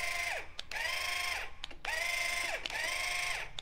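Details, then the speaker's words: Spur-gear linear actuator on controller: loud steady high gear whine in roughly one-second runs that stop and restart; normal spur-gear noise, explaining why some actuators are noisier than others. "big difference so that explains why some actuators are noisier than other actuators"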